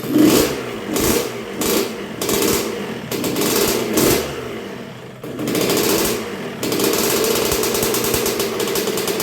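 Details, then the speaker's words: 1986 Honda CR125R after new top end (Wiseco piston .060 over), first start and break-in while setting idle: crisp two-stroke revving in short blips, then a steady even idle with clean crackle, no knocking or rattle; sounds really good, possible coolant leak suspected. "so far so good it's sounding really good it's real crisp um sounds like it's bored out sounds like everything's working really good"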